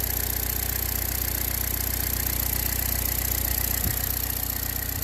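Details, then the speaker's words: 2014 Chevy Cruze LT 1.4 L turbo after replacing the failed PCV valve cover (GM 25198877) to fix a P0171 lean code: smooth, even idle with steady low hum and no hiss; healthy after repair. "is like a kitty again"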